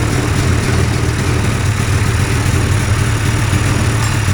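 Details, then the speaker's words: Two-stroke hovercraft engine, newly fitted coil, carbs sorted after trial and error, holds a steady, even burble at idle with no misses or surges while warming, fan not yet hooked up; normal idle. "Well, there. Yay. It runs. And it sounds good."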